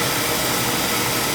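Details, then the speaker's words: Oil burner fed from an outside tank, with a steady roaring hiss of fan and pump. Air is being bled from the oil supply line after reset while oil starts flowing. The tank level may be low. "oh we're getting oil right there see it yep obviously we're going to bleed it because uh get the air"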